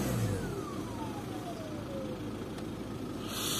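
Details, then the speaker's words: VW Passat 2.0 TDI BKP 140hp diesel after turbo geometry cleaning failed to fix it; after a drive, drives fine: faint thin whistle slides down in pitch as revs fall, lingering turbo whine, owner plans a new turbo. "it definitely drives okay drives fine I think it's a good moment to start looking for a new turbo though"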